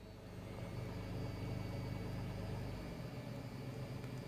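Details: Naturally aspirated petrol three-cylinder idle, from a Tata Altroz versus Hyundai i20 Elite second-generation petrol comparison, car unclear: low even idle pulse at about four beats a second, no knocks or rattles; healthy normal idle.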